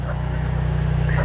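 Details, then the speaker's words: Antique Cummins 290 diesel (Brockway project) with compression release engaged and strong oil pressure turns over slowly with even, laboured pulses and never fires. Owner suspects a tired starter or poor battery hook-up. Slow cranking. "but we're going to stop that cuz you know but as you can hear it's really not cranking over that fast so I'm going to have to figure out I don't know why I bet that starter's tired"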